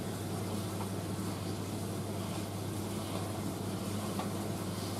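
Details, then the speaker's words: Indesit IS31V 3kg compact reversing tumble dryer running very hot with its load, drum tumbling at a moderate speed; steady motor hum with a soft, even tumbling rush, no knocks, squeal or scraping, drum turning normally. "so you see it tumbles at quite a good speed but the white knight used to tumble very fast i mean it threw everything around the the side and distributed it"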